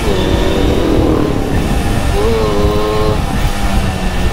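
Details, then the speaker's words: Suzuki GT185 old two-stroke motorcycle, restored, riding: loud crisp buzz climbing cleanly in pitch as throttle opens; light gear shifts, soft clutch, responsive throttle, healthy acceleration. "perpindahan gigi enteng kopling enteng empuk di gas juga responsif"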